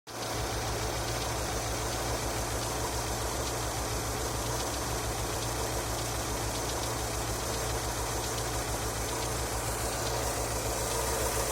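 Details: Engine knocking after an oil change: steady idle with a fast, regular tapping knock riding over the engine note; source unclear.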